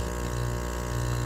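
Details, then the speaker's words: Aquarium air pump, lid back on and outlet blocked by a finger to simulate attached tubes, after a part was replaced with silicone: a low, even hum with a soft steady buzz and no rattle; barely audible. "Look at that. Barely hear it. Now it's silent again. I'm sure the fish will be happy."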